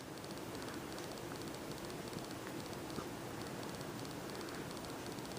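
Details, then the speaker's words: Refurbished 42-inch SMC U42 ceiling fan on high speed, about 215 rpm: a soft, even air whoosh with a faint light tick, quiet bearings and very little motor hum. Normal running. "y hear the bearings at all and also there's very little hum from the motor"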